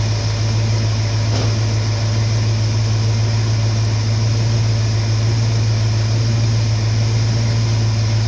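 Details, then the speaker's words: 1969 Mustang V8 after new parts, a cleaned carburetor and full 13-volt coil feed; deep, steady, even idle rumble with no misses or knocks; normal idle, sounds better than before. "but with all them new parts on that motor, I think it sounds a lot better than it did before."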